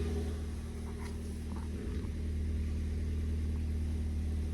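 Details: Ford Fiesta ST180, first start after in-tank fuel pump replacement, exhaust back box not yet refitted, no engine warning light: deep, steady idle rumble, even beat, no stumbling or misfire, loud exhaust; normal idle.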